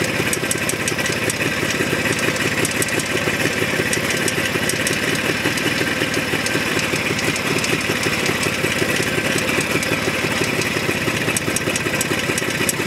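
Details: Jawa 634 at idle: a quick, rattling knock over the exhaust note; it disappears when driving, and removing the spark plug had no effect; owner suspects the primary chain.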